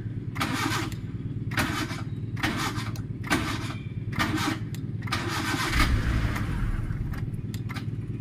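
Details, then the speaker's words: Maruti Suzuki Eeco with a starting problem, first start in the morning: about one short, harsh starter whirr per second, sometimes engaging and sometimes not, engine barely turning; intermittent engagement from a faulty starter solenoid. "এই হচ্ছে এর problem এই দেখেন মাঝেমধ্যে নিচ্ছে মাঝেমধ্যে নিচ্ছে না"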